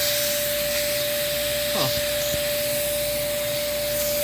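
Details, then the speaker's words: Dyson DC11 vacuum, airflow test with the wand connected: steady motor whine with a constant airy hiss and no pitch change; suction is escaping through leaking wand joints and a hole the floor tool doesn't cover. "but we can feel a lot of leakage right around here and i guess right around here too"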